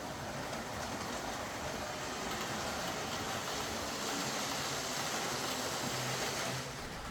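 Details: Roughly 20-year-old Hornby R.398 Flying Scotsman tender-driven model locomotive, after cleaning, relubrication and pickup adjustment: small motor runs steadily with a thin, gritty whine and grinding hiss, consistent with worn drive gears.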